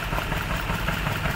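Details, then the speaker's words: Maruti Suzuki Baleno with check engine light, vibration, weak pickup; coil unplugged cylinder by cylinder, removing cylinder 3 changes nothing: uneven lumpy idle with irregular stumble, one cylinder dropping out; ignition coil misfire. "देखिए इसको निकालने से कुछ भी नहीं होता देखिए जैसा है वैसे ये देखिए ये देखिए इसका मतलब हमारा कइल का प्रॉब्लम है"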